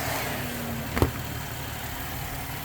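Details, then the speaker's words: 2010 Ford Mustang with intermittent rough running, engine computer (PCM) heated with hair dryer at idle: steady idle, then sudden click and engine jump as fans cut out; overheated PCM dropping outputs. "you'll hear it you'll hear the engine jump you'll hear the fans turn off and then we'll check the voltage on that multimer"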